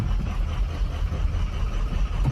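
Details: 2006 Ford 6.0 Powerstroke, 218,000 miles: heavy, uneven diesel rumble with stumbling beat; suspected cracked injector, later went away, white smoke.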